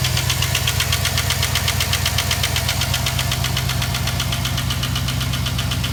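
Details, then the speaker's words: 2007 Silverado 5.3 at idle: a sharp, steady tick about four per second, even and persistent; the cylinder 6 intake lifter has lost hydraulic pressure, so the valve is not opening fully. "so that's what it sounds like when cylinder number six intake ex uh the intake valve that's the one that's not opening up all the way uh the lifter didn't completely demolish or anything it just lost pressure"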